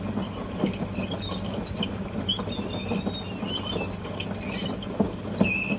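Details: LG F1222TD washing machine drum turns with a continuous rough rumble and scattered clicks and clatter; drum bearings and bearing seal are gone, with water leaking into the stator motor.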